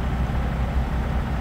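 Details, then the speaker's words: 17-year-old Newmar Mountain Aire motorhome generator on the road, after the owner checked a dirty black but not fully clogged air filter hoping it was the cause: low, uneven thrum with irregular dips and stumbles; still running rough. "so we're doing it on the road yes we'll see if that sounds any better oh I'm going to say no oh that's bad"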